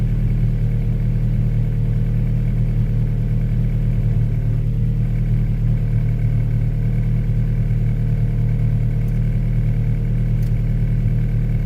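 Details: Honda Prelude, first start after sitting, harness thrown on as-is, open exhaust, no throttle pedal hooked up: deep, loud, steady idle with even firing, no knocks or misses, holding steady at 40 psi; normal idle.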